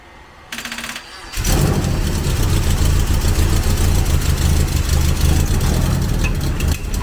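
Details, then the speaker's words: 1991 Eagle Talon TSI, built 4G63 with HKS 272 cams and a Precision turbo, first start after sitting 5+ years with E85: catches after a few cranks into a rough, chuffing idle; exhaust leak because the downpipe is loose from the turbo. "It sounds like shit right now because the downpipe's loose from the turbo. It's running."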